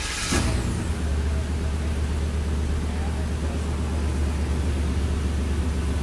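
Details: Chevrolet S-10 petrol engine after checking plugs, wires and distributor for misfires and regapping spark plugs to 0.045: steady, even low hum with no stumbles, running much smoother than before.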